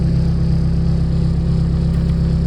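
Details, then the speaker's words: Range Rover Classic, fuel pump solenoid already replaced. Engine keeps idling steadily after the key is turned off; switching the lights dips the voltage enough to stop the solenoid, and the cause is still unresolved. Engine run-on after ignition off. "all right so it's gone a lot and it's turned that off but it's still running so there's enough voltage but if you turn the lights on and off it dips the voltage enough to stop the solenoid"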